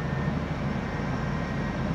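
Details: 2003 Lincoln Navigator 5.4L, previously crank no start, running: smooth, even low rumble at a steady idle, no misses, knocks or stumbles. Confirms the fuel pump relay in the junction box was the fault.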